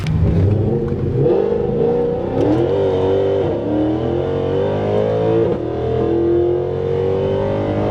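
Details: Modified Mercedes C63 AMG after replacing all four O2 sensors and resetting codes to cure limp mode and misfires: strong V8 rising and falling smoothly through several blips, pitch climbing cleanly with no stumble.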